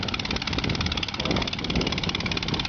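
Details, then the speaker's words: 1917 Curtiss JN-4 Jenny biplane, V8 150 horsepower aero engine, gravity-fed fuel with wind-driven pump, after a stubborn start: steady even beat with bright rasping exhaust, no misfires or stumbles; running normally. "And there we go, ladies and gentlemen. It looks like we were a little bit more stubborn today. That's the sound of that V8 150 horsepower engine."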